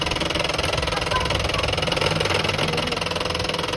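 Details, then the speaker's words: HP LaserJet 1018 laser printer, covers removed, powered on; steady gritty grind pulsing two to three times a second, persisting when pressure applied to gears, so attributed to the drive motor not gears; printer motor grinding noise. "Printer में power देकर on करेंगे तो देखो दोस्तों की आवाज आ रही है तो गियर की वजह से भी आती है"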